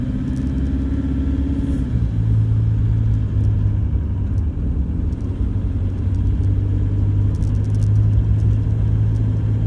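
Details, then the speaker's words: 2014 Toyota Hilux 1KD-FTV diesel, 111k, cold idle under a minute after start, after injector replacement: even diesel idle with a smooth steady knock and no loose marble-like rattle on top; normal cold idle. "we're here to listen to the noise cold i've just started the engine less than a minute ago we've done the injectors on it"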